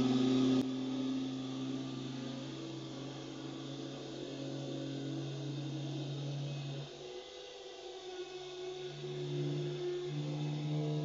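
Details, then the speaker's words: Automotech AS-235SBE 3.5-ton twin hydraulic ram two-post lift lowering at controlled speed, oil returning from the pistons: smooth, steady low hum with an even hiss as oil returns; normal hydraulic lift lowering. "and in the second we're going to see obviously all the oil coming back from the pistons all the way"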